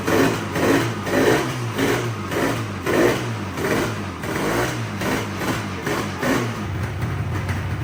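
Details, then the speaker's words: Yamaha RD350 two-stroke twin, abandoned about 10 years, revived on premix from an external tank. Lumpy, uneven pulsing about twice a second with patchy firing. It limps along mostly on the right cylinder, the left only sometimes firing. "the bike and multiple times in this video has been running on one cylinder sometimes that left cylinder actually starts to Fire and the bike runs properly but most of the time it's running on just the right Bank"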